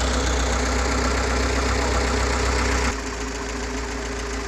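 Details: GAZ-69 with UMZ-421 engine after major overhaul (Kostroma piston group, contactless ignition, original carburetor, fuel pump and old intake manifold): even steady idle, about four beats per second, no knocks or misses; healthy.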